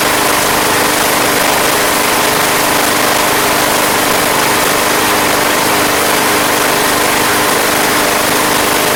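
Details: Craftsman Platinum lawn mower, Briggs 190cc engine, running after a no-start fix with a replacement carburetor: steady, even buzzing run, no surging or misses; gas was seen from the crankcase vent, yet it sounds healthy.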